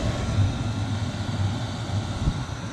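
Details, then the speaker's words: Van diesel heater that failed overnight, restarted after long unplugged, cabin at 57: steady low burner roar with faint fuel pump ticking beneath; running normally, cause of earlier failure unknown. "Well, I think it might be working. I could hear the fuel pump a little bit."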